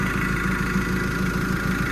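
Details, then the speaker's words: Develon DD130-7 dozer diesel during an engine oil change service, started just after bleeding the fuel: steady idle with an even, quick ticking beat and no knocks or misses; healthy. "Ui, she's gone like a sewing machine, some would say. Ticking away. Everything sounds good."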